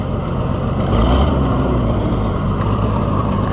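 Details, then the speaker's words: Junkyard Oliver Super 77 tractor on its first test drive: a steady loud engine run with rough breathy puffing on top, air blowing through holes in the exhaust manifold. "If it had a better manifold on it, it would sound better. Cuz right now, you can hear that air sound from where it's blowing through the holes in the manifold."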